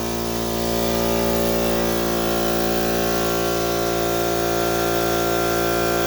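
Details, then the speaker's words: Central Pneumatic 2 hp, 8-gallon, 125 psi air compressor that struggled to start and then died, after replacing the 100 µF 250 V capacitor: it comes up to speed and holds a steady, even motor hum with a smooth pump beat, running normally. "Looks like that was the problem. One more time. Well, looks like I have a working compressor."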